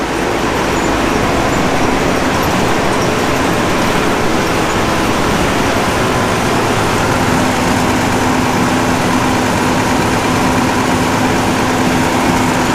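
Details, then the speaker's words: Gleaner F combine after separator clutch shaft bearing replacement, separator being engaged: steady, even roar from the separator drive with no rubbing, squeal or knock; pulley no longer rubs, sounds healthy. "let's Engage The separator and see if we hear any noise from that side of things I like the fact that that pulley doesn't rub"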